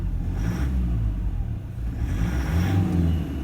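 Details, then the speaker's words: 2009 Toyota Land Cruiser Prado 120, 1KD-FTV diesel, injectors well overdue and worn out, blue smoke on throttle puffs. The engine rises and falls on short blips with an uneven, lumpy note, consistent with injector misfire. "but i'm telling you what i do know these injectors are stuffed let me have a listen to this engine again"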